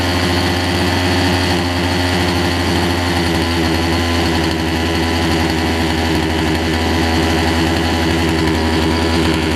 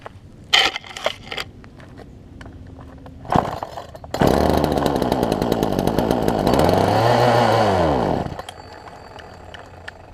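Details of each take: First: Poulan Pro 18" two-stroke chainsaw, warm: steady even buzz holds speed without surging or dying; runs properly, a little smoky. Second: Poulan Pro 18" two-stroke chainsaw, fuel line likely pinched between carburetor and engine: pull-starts, picks up, revs swell and sag unevenly, dies after about four seconds; won't stay running.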